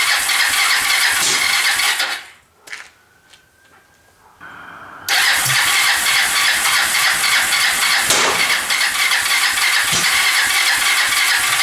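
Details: Kawasaki Lakota 300 after top-end rebuild, first start on choke in neutral: cranks, catches, then runs loud and ragged with uneven popping about three a second; cam timing was 180 degrees out.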